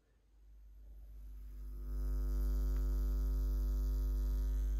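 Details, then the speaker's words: Pro-Ject Phono Box preamp with Pro-Ject Essentials II turntable, powered by an 18 V switching-mode supply, system not earthed: low steady 50 Hz mains hum swells as volume is cranked up, then holds constant; mains ground hum. "you can hear an audible noise and this is caused by the um ac current or rather ac power supply running at 50 hertz and the entire system isn't earth"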